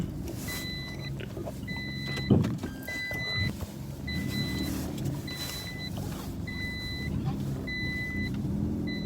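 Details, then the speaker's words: Toyota Aygo / Peugeot 107 / Citroen C1 while driving, engine light off: repeating pairs of high beeps about every second over engine and road hum; owner says from experience this beep signals a bad clutch. "موتورشون در درایو هست، درایو کنید ولی صدای تیت میاد، با وجود که تمام چیزشون اوکی است، در همین موتور لایت شما روشن نیست، بفهمین که کلچم خراب است، تیت میاد در وقت درایو."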